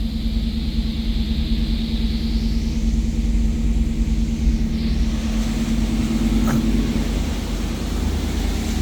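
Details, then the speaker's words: 1991 GM (Pontiac Firebird) with 60,000 original miles and a stock exhaust, just after a cold start: even, steady low rumble with no knocks or misses and only a couple of brief clicks; running as it should and responsive. "We'll go ahead and fire it. Up and running as it should. Lights. Motors aren't burnt, running good. Responsive."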